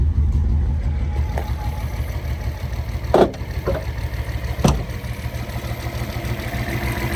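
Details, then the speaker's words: Test drive after rebuilding the Solex Mikuni Type R carburetors with new gaskets; steady low engine note pulls cleanly with only a couple of road thumps; no stumbling or hesitation, no throttle hang; success. "I think we can call that a success. No stumbling, which is good. No throttle hang."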